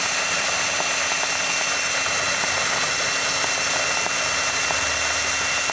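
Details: Small Cox two-stroke glow engine on nitro fuel, glow plug battery-powered, first start-up: shrill high-pitched buzz held steady a few seconds, running lean/unsettled while needle setting is still being found.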